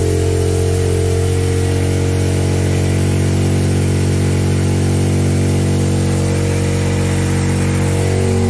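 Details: Trailmaster Challenger 300 go-kart side-by-side single, which died at stops, after replacing its broken carburetor, before adjustment; steady, slightly fast idle with an even low thrum, no stumbling or dying.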